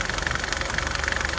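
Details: 2009 Nissan Altima at idle: fast, even, loud continuous ticking from the passenger side of the engine over a steady idle; source not yet known. Ticking at idle.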